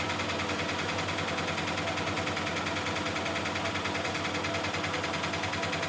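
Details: Miele Softtronic W6544 washing machine, drum loose and noisy (bearing damage questioned): steady rough rumble with a loose knock about 76 times a minute as the drum turns; broken drum spider (Trommelkreuz) lets the drum wobble.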